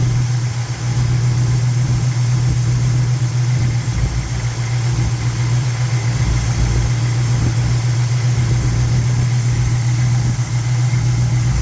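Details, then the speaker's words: '78 Monte Carlo 305 (5.0) small-block V8, rebuilt 2004, under 50 miles, rebuilt Edelbrock Performer 1406 carb tuned, timing 16° BTDC, idle mixture screws adjusted; steady even low rumble, no misses, surges or ticking; normal idle. "Now with the timing advanced to 16 degrees before top dead center, the idle mixing screws are actually making a difference. So this is where the motor is the happiest."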